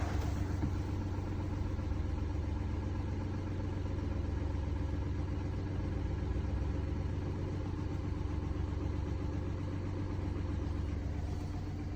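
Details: Mini Cooper D three-cylinder diesel at idle: deep heavy idle with steady rattling shudder about four times a second; mechanic diagnosed broken, worn dual mass flywheel carrying clutch springs; juddering after clutch lift reported.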